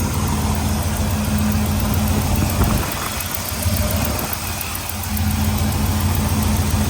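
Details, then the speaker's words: Big-block Camaro with forged pistons, sitting since 2017, first run after revival: deep, loud, throaty V8 idle with a steady lope, no knock or miss; normal idle. "seem's like a happy rat motor W that's loud thing throaty damn"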